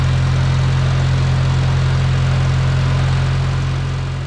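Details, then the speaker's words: 1950 Farmall Cub idling after a new carburetor and in-line fuel filter were fitted: a steady, even low putter with a firm regular beat and no misses, not smoking. With the old carburetor it would not run right unless the choke lever was worked. "oh he's turning man that sounds good wow it wouldn't even run right with the other carburetor unless I sat there and played with the choke lever she's not smoking or anything that's fantastic"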